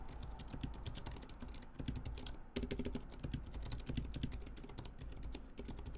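Quick, uneven typing clatter with a dull bottom-out and a dry, rough scrape on each keystroke from unlubricated switches.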